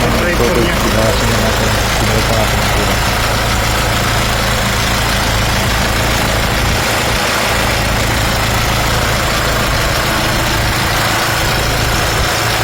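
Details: Nissan Patrol 4x4 3.0 L diesel (ZD30) after a top overhaul and valve setting to cure leaking valves and misfiring; steady, even idle with a smooth low rumble and no skips, temperature monitored, running healthy.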